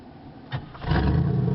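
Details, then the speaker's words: 1986 Oldsmobile Cutlass Supreme, 305 ci Chevrolet V8, warm restart after its first run in 60 days: brief starter whirr, then catches at once into a deep even rumble; normal warm start, though a tune-up is probably needed. "Now it fires right up. So, just needs a good run."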